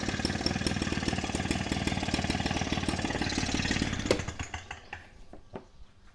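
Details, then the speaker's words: KASEI two-stroke fertilizer/rice broadcast blower on 2T-gasoline mix, after a stuck carburetor float needle that stopped fuel flow was freed: it buzzes with a steady even beat for about four seconds, then shuts off cleanly. Running normally after the fix. "สตาร์ทติดเรียบร้อยแล้วนะครับนี่ก็คือวิธีการแก้ไขนะครับเครื่องพ่นข้าวเนี่ยครับคาเซอิรุ่นนี้ครับ"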